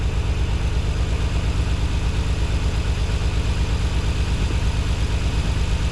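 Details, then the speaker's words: Nissan 300ZX just after installing new spark plugs and refitting the balance tube; a coil pack is slightly loose. Low idle with a pulsing, uneven, lumpy beat, still a little stumble; cause not confirmed (fuel injectors suggested). "This plug is loose a little bit. I mean, this coil pack is loose a little bit, but it's running. Still got that little stumble."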